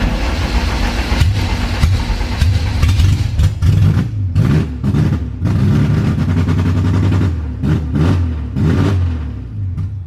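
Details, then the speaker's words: Honda CRX with new fabricated exhaust, no tune, 800cc injectors, first start after about a month sitting: deep, very loud booming rumble with choppy throttle blips from the free-flowing exhaust. "That is so loud. Holy crap. It's super loud, but I love it."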